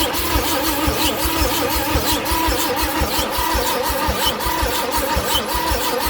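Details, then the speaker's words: Chevrolet C10 cranking with starting fluid sprayed in and the throttle held: the starter churns steadily with even compression beats but never fires, apart from maybe one skip. It sounds dry and screechy, and the owner suspects no spark. "It's not sound like we're getting sparkles. It was sounding earlier like it wanted to fire. Yeah, but... that's what I thought. I heard a little skip there. It sure sounds dry though."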